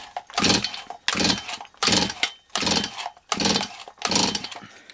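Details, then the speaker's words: Stihl 026 chainsaw after cylinder/piston rebuild, before first start: six even rasping pull-over strokes with firm resistance, no firing; compression up from about 80 psi to about 130 psi, healthy. "let's do our compression test now so here we go we're going to pull it over a few times I don't know if you remember it had about 80. 80 psi to start with now it's got about 130"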